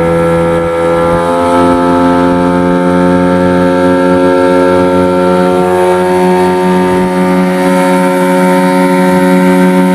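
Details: Yamaha 15 hp two-stroke outboard on its test run after repair (stuck piston rings freed, narrowed dirty exhaust cleaned): a steady buzzing drone at an even pitch with slight speed drift. Clean firing, running healthy.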